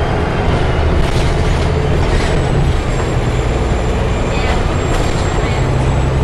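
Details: Arriva Yorkshire Alexander ALX400 bus 665 (W665 CWX), on board service 410 Leeds to Stourton: low droning howl over diesel and road rumble while driving; strange howling noise, source unknown.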